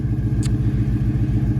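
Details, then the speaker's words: 1993 Fox-body Mustang LX (originally 4-cylinder) with Gen2 Coyote V8 and T56 Magnum swap, about 600 miles, fresh plugs and tune, chambered mufflers: deep, even idle burble, no misses or ticks; quiet, gets loud above 3000 rpm. "but there it is not too loud it really opens up like at 3000 rpm it really starts screaming and it gets real real loud if that's what you like me personally i like the quieter cars"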